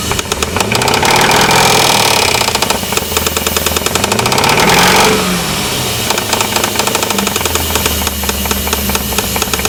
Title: 4.7 Engine knock